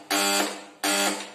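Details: Electric call bell (coil pulling soft-iron strip) in demonstration: two even buzzes, each about a third of a second, steady growling pitch; bell working normally.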